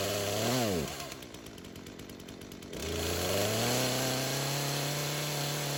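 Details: Craftsman chainsaw that sat for years, rerun days later after cool-down: blips up, drops back, settles into steady idle without hunting or surging. Carb acting more natural; tip test shows no head gasket or crank seal leak; chain doesn't move at idle.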